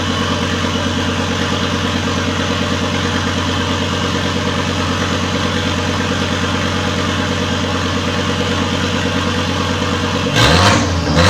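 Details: Volvo S60 T5 engine in a front half cut from the car, idling loud and raw with no exhaust fitted; steady, even, no misfires or knocks. Running after days of crank-no-start, once the airbag control module was removed.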